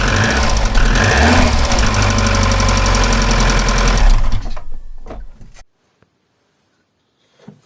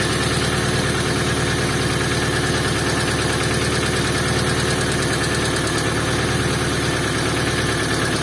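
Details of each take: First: Opel C20XE engine fitted in a Moskvich, cold start before its hydraulic lifters are removed and cleaned; quick, even ticking over the idle for a few seconds from the lifters knocking as usual when cold. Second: Moskvich with an Opel C20XE engine, cold frosty-morning start with a weak battery after disassembling and cleaning the hydraulic lifters: after a brief knock they go quiet, giving a steady, smooth idle; normal idle.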